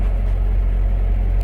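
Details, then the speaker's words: Ford Ranger, customer complaint of running badly: deep, lumpy, rough idle with an uneven skipping beat and visible shaking; misfire, with running compression test showing cylinder 4 at only half normal compression. "Well, it's definitely got a misfire. It's definitely skipping. It's running real rough."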